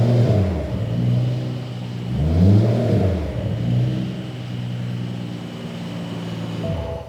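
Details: 2011 BMW 535i xDrive F10 with freshly rebuilt and reinstalled N55 petrol engine: smooth even note rising and falling with a couple of throttle blips, then settling steadily; no oil leaks, running healthy.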